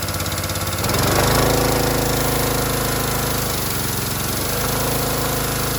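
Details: Harbor Freight Predator pressure washer, bought as junk, whose unloader had been misassembled, possibly damaging its seat: on trigger squeeze the small engine bogs and recovers in surges as the unloader keeps kicking; unloader cycling, out of adjustment, to be adjusted down at the bolt.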